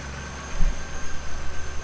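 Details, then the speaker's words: 1996–2002 Camaro/Firebird 3800 Series 2 V6 after AC delete with rerouted belt: steady, even low idle with smooth rumble, accessory belt whine gone, much quieter. "oh yeah definitely a lot quieter no more whining"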